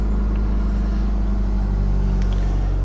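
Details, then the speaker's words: 2009 Ford Mondeo 1.8 Duratorq TDCi (QYBA) diesel held at 1500 rpm shakes with a heavy, uneven low shudder, a misfire earlier suspected as a dual mass flywheel fault; found to be a faulty injector. "oh if you just tuck it up to 1500 rpm there shakes its knackers"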